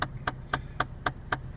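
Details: Chevrolet Cavalier bought from Copart, running during inspection: sharp even clicks about four times a second from behind the dash, like an actuator hunting for position; a blend (mixer) door is suspected, not confirmed.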